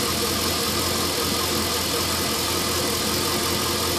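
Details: LS1 V8 after new intake manifold, headers and AIR/EGR delete: uneven unsettled idle with steady hiss; rough idle caused by vacuum leak from an uncapped fitting left open after removing AIR/EGR parts, fixed with custom hoses.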